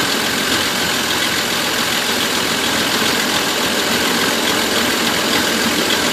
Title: Van misfire